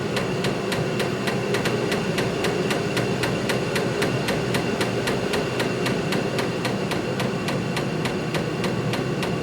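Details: Vevor 8 kW diesel heater in an uninsulated 142 m³ barn, turned up to setting four of six: steady sharp fuel-pump ticks about three to four a second over a soft combustion roar, even and unbroken; normal fuel metering.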